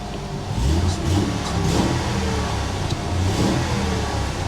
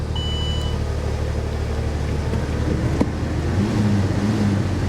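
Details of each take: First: Mercury Cougar XR7 with a V6 at a salvage auction: it fires quickly, then a deep, smooth rev climbs and settles back evenly with no knocks or misses. Runs well, and the transmission engages forward and reverse. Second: Salvage auction Corvette convertible, jump-started, idling: lumpy, irregular beat with stumbles every few pulses; bad misfire at idle.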